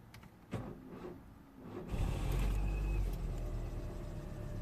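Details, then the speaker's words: 2004 Citroen C4 1.4 petrol (KFU) after repairing open-circuit injector and purge faults (P0201–P0204, P0443): clicks, then the engine cranks, fires and settles into a steady idle. Runs fine, engine light off, no codes return. "there is running absolutely fine engine light is off"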